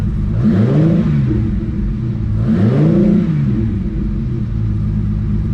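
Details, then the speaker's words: Ferrari 365 GTC/4 carbureted V12, ice cold in the morning, after accelerator pump jets were fixed and the carburetors stripped: two clean throttle blips climb and fall smoothly back to a steady idle; healthy revving. "just going to fire it up and show you um how well it runs now with the um with the accelerator pumps fixed"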